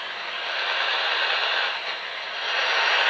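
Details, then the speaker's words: Smartphone heard on a portable AM/medium-wave radio held nearby, not plugged into mains: loud steady hiss that swells and eases; RF interference from the phone. "the cell phone's not even showing anything on the screen when I turn on the screen it gets even worse which decreases when I turn off the screen again but as you can see there's quite a bit of noise"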